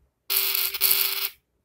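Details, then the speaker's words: Amazon Basics mini Bluetooth speaker, opened for a teardown and playing audio: a harsh high buzz over a steady tone of about 400 Hz, from a screw stuck on the speaker diaphragm and rattling against it. "still it is okay this is screw what is stucked on the diaphragm of the speaker due to which this vibration was created"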